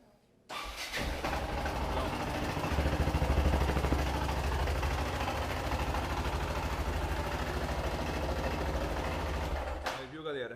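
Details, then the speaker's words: Yamaha XT660 at idle with a loud, hard, steady clatter from the engine, started after a Sunday ride; persists after valve adjustment, oil and filter change, coolant additive and spark plug; clutch cover to be removed to find the source. "Fala galera beleza tô com essa XT aqui 660 ela tá com um barulho diferente no motor"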